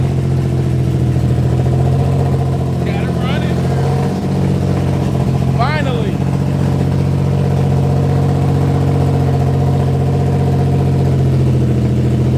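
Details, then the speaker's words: Infiniti G35 with straight headers, no exhaust or catalytic converter, after fixing a starting issue with one wire, minor oil and power steering leaks: very loud, raspy, steady idle with a deep even drone, no misses; runs fine. "so she runs but she runs these challenges loud as hell but we didn't have you know i don't have an exhaust or a cat or it's just straight header"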